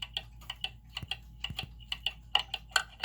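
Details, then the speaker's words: German time/strike pendulum clock during beat adjustment of the crutch: ticks about twice a second with unequal tick and tock gaps, limping rhythm; still out of beat, needs further adjustment. "and you see how I've done that how it's it still sounds uneven so I'm going to push it a little more in that direction"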